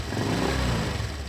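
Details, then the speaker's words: 2019 Honda Vario 125: short rev with a coarse, gravelly growl over the engine note, staying rough as revs rise even when the radiator cover is held; radiator cover ruled out, owner suspects the engine-to-radiator separator cover. "Tetap ngorok, walaupun saya pegang tetap ngorok ya, ketika digeber-geber tetap ngorok, tetap kasar."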